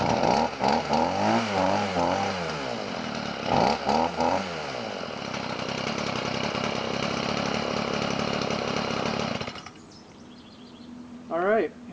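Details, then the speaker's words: Stihl two-stroke weed trimmer that had flooded, running after excess gas was removed from the engine, then primed and choked. A high buzzy note revs up and down, then holds steady: running normally. "looks like the uh uh gasoline got successfully removed uh and that ended up clearing it so uh mission"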